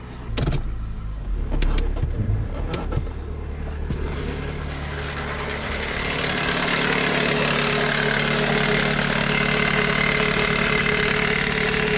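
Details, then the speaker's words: Toyota Corolla four-cylinder (around 2001) idling in drive with constant chattering rattle from the serpentine belt tensioner; quieter when hand pressed on it. "okay so what i was putting my hand on right here is actually the tensioner for the serpentine belt things making a lot of noise when you put your hand on it it kind of gets quieter"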